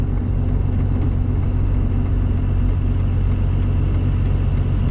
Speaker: if i don't put it under a load it doesn't do it if i give it some throttle they'll do it